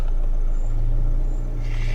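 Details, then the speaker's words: Dodge Dart heater blower with a new fan motor replacing the intermittent old one, temporarily hooked up and run at speed 1 to 5: a steady, even low hum with no rattle or squeal. Normal blower operation. "kicks right on. When I turn this thing on 5, man, that thing cranks."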